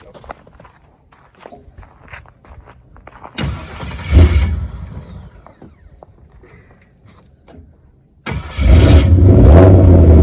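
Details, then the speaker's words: 1955 Chevy with a 4.8L turbo LS, cold November day, after the starter was replaced: strong, quick cranking, then the V8 catches and settles into a loud, even rumble. Normal cranking and start, with the new starter engaging properly. "but at least that was the starter was the issue i guess i was putting it cranked right over"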